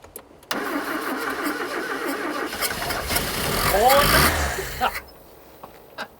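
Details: 1980s Ford XR hot hatch left in a Kent garden for 25 years, first start with fresh fuel plus additive: it cranks, catches and runs a few seconds, revs once, then dies.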